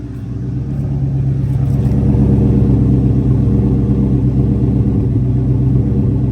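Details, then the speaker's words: 2003 Mustang GT misfiring since a coolant flush, before replacing the coils with MSD coils: rough, lumpy idle stumbling about three times a second. Owner suspects the coils; cause not confirmed. "it like has idling problems and you can hear it go do do dot it's Prett pretty bad"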